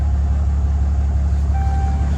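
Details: 2012 Ram 2500 6.7L Cummins turbo diesel restarted after fuel filter change, brief cranking to refill canister: deep, steady diesel rumble with an even beat, no misses or knocks; normal idle, may run slightly rough at first.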